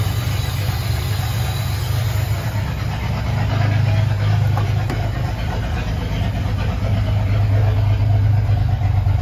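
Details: Ford 300 inline six, first fire-up after finishing turbo header, exhaust cutouts open: loud, deep, steady open-exhaust burble at idle with an even pulse and no knocking; normal idle.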